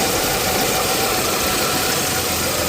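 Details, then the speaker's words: 1987 Chevy S10 with the 2.8 L engine, after it stalled in the rain and would not start, now repaired and reassembled: it settles into a steady, even idle with a mechanical hiss and no misses. Normal idle. "Just in case you guys didn't believe me, it's all put together and running."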